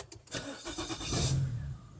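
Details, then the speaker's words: Car during battery-related no-start checks; brief brisk crank, fires within a second and settles into smooth idle; roof light does not go fully out while cranking; healthy start. "Alright, so you notice huge difference that took place this time around."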